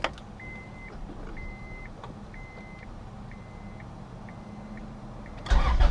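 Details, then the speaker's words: 1999 Acura Integra after the main relay was replaced because it would not start or idled very low when hot. Soft chimes, then a brief crank and a prompt catch into a steady idle with no check engine light: normal start. "easy start no check engine light and you're good to go"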